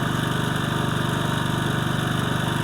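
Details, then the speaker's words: Older, reportedly German-made generator after repair of a run-only-on-choke fault: small carburetor seals fixed, linkage readjusted, intake valve clearance slightly increased. Restarted; smooth, steady idle putter with no hunting or surging. "сходиться добре працює так що ось Проблема була все-таки в карбюраторі цих манжетиках малесеньких"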